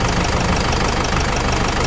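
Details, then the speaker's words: Foton Tornado diesel after repair for overheating and coolant mixing with oil, restarted with coolant filled: loud steady diesel clatter at even idle, quiet, coolant no longer gushing; normal idle. "Start natin ulit. Start baby. Start. Yan, tahimik na. Dati yung tubig nito bumubulwak pag may start."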